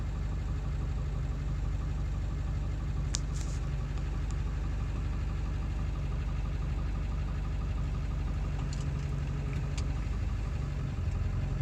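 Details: 7.3 diesel at idle after ICP sensor replacement, still not running great: a deep idle with a lumpy, irregular knock rhythm and a few sharp ticks; rough idle, cause not yet clear.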